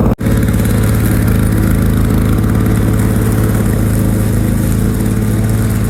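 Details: 1987 Lawnboy 8073B two-stroke mower after a year stored and new capstan rollers: after a hard start, loud fast even buzz with no misses or surging; runs normally.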